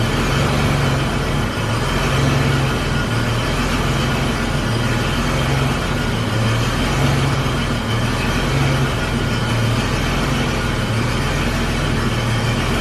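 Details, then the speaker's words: 1991 BMW 735iL E32 with M30B35 after valve adjustment, new cap and rotor: low steady idle rumble, even without misses, with a raspy chuff from an exhaust leak; engine idles fine, previously slightly stumbly. "Sounds pretty good. Off the top of my head, I can't say whether or not it sounds like it runs way better."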